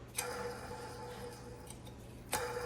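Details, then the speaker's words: Monogram refrigerator condenser fan motor (part WR60x10328) in the bottom refrigeration tray: steady hum with sharp ticks about two seconds apart, louder at higher speed; worn and noisy, blamed on age and uncleaned condenser coils, to be replaced. "You hear this noise when it runs faster. That's the time it's going to make a lot of noise. I will be replacing this fan."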